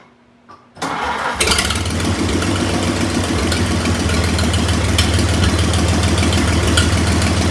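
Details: 1926 Oakland after 75 years, rebuilt generator hooked up, valves about 0.010 in against 0.007–0.009 warm spec: catches after a brief crank and settles into a steady, even low idle with no clacking or misses; normal idle.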